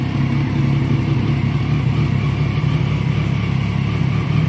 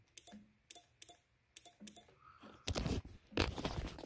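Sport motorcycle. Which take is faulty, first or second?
second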